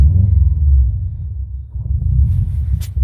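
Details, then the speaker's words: Stock, untuned Subaru WRX/STI with a TiAL blow-off valve venting to atmosphere and recirculation blocked. Low, uneven idle that hunts and stumbles as metered air is dumped. "oh it does not like it guys sounds like a honda right now oh definitely not liking it absolutely not liking it"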